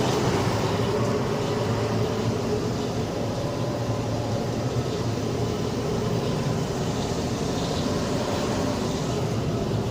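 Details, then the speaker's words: Carrier Infinity 96 58MVB-080 gas furnace on high-stage heat, louder than low stage with inducer spinning much faster; steady loud rushing airflow and even fan hum, no rattles or squeals; normal high-stage operation. "it's a little bit latter on high heat but that's okay it's quiet most of the time as you can see in here the inducer spends much faster in high heat mode"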